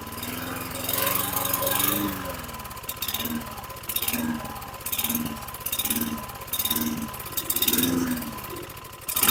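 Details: 2009 Lawn-Boy RWD mower, model 10642, 675-series engine, 20-inch blade: after pulling the throttle tab forward from very low rpm, the engine hunts up and down about once a second, exhaust repeatedly cutting out as if starving. Cause suspected, not confirmed.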